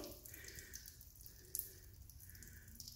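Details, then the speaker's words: Clearing a clogged car sunroof drain with plumbing unclogging liquid: water poured only on the left side now trickles and drips out both sides steadily with no gurgling, though one side is still a little clogged; sunroof drain flowing again. "so still both sides are coming out so this one see I just put the water only on the left side and it's coming on both sides"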